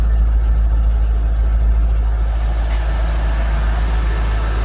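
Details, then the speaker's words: 2003 Corvette C5 after a new water pump and belt, warming toward operating temperature. Steady, even low idle rumble with no chirp or squeak from the belt; no leaks seen, accessory drive sounds healthy. "belt still not squeaking that's cool I'm not seeing any leaks so"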